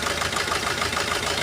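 The idle pulses unevenly, with a regular lumpy beat about every eighth of a second; one cylinder is dead from its injector being shut off.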